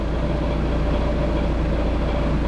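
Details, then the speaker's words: Seat Exeo 2.0 TDI diesel at idle, clutch out: heavy even metal-on-metal clatter from a worn dual mass flywheel's loose secondary side; goes silent when clutch pressed. Before replacement with a rigid flywheel and new clutch. "dlaczego tak się dzieje że Po wciśnięciu sprzęgła jest cisza A to dlatego że koło dwumasowe strona wtórna po prostu sobie już drga lata i i po prostu hałasuje no metalometal"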